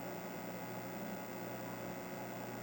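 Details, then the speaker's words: Second Super Pac-Man arcade PCB, which has coin/start issues, at power-on: constant low mains-type hum under faint hiss with no game sound; owner suspects audio-section caps or the amp, not confirmed. "I don't like the way the speaker sounds yeah listen to that might need some new caps in that audio section or the amp or something"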